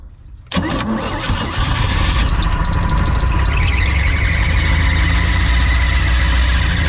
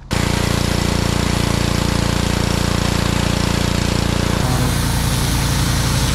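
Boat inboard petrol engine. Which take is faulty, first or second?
first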